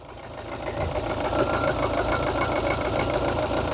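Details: Rover 25 GTI 1.8L VVC, warm after rocker cover gasket and HT leads changed; idle with a slightly uneven beat and occasional stumble; intermittent misfire at idle, improved but not gone as the job was incomplete.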